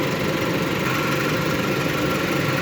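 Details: 2008 Hyundai Elantra four-cylinder, O2 sensor replaced and new spark plugs and wires fitted: steady even idle hum, no knocks, misses or surging; running smoothly and healthy.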